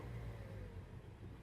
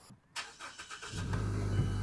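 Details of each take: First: 2013 or 2014 Mazda CX-5, codes for random misfire, lean bank 1 and MAF range/performance: low, uneven rumble that sags and surges, worse in gear, then stalls; rough running from a faulty MAF sensor. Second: 2013 or 2014 Mazda CX-5 that stalled in drive with high idle and a misfire, after a new OEM MAF sensor: short crank, then a low, even idle with no stumble. Normal idle, check-engine light still on.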